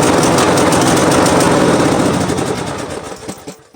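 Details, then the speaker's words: Craftsman T110 riding lawnmower stored all winter with an uncharged, dead battery, jump-started from an external battery pack. The small single-cylinder engine fires up, runs at a fast, even pop, then winds down and stops cleanly; normal start and run. "so there you have it my friends that's how we get this t110 lawnmower from craftman start it again if you had it all winter and storage"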